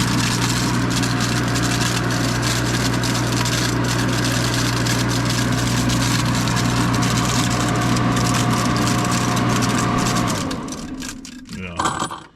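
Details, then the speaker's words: Bravo grain hammer mill: steady motor drone with firm low hum for ten seconds, then it winds down fast when a chamber lid knob is loosened and trips the safety interlock. "see how it killed it so when you go to put this thing together and you got the knobs in there and uh it doesn't work anymore well there's a safety thing down there"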